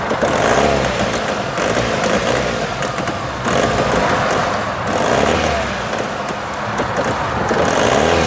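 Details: Vauxhall Omega engine rising and falling through slow revs with a ragged, uneven beat and hesitant pulse; misfire, cause unclear.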